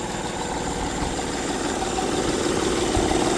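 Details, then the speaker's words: 2008 Honda Pilot petrol V6 at idle, belt cover off, with a fast, loose rattle from the front of the engine: the timing belt flaps up and down because the tensioner is bad. "see how the belt is going up and down yep that's what's causing the noise because the tensioner is going bad or is bad see how the belt is not tight it's flapping up an"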